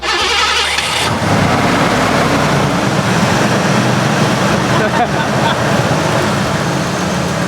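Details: Ford V8, likely spark issue (coil or TFI suspected, head gasket possible), plug wires being pulled one at a time: loud, rough running after start-up with uneven, stumbling beat; engine misfire, cause unconfirmed.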